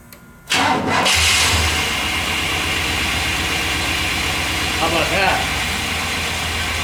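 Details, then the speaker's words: 1998 Chevrolet 1500 GMT400 5.7 V8, started with the accessory belt removed: cranks, catches and settles into a steady, even idle with no squeal or whirr; the noise was from belt-driven accessories, suspected alternator. "I'm going to start it up without the belt on it see how much of that noise is coming from accessories and idler pulleys"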